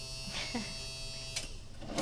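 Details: Boat bilge pump that ran constantly due to a suspected short in its old float switch; new float switch fitted and wiring corrected: steady even electric buzz, constant pitch, no rattle or labouring; runs normally.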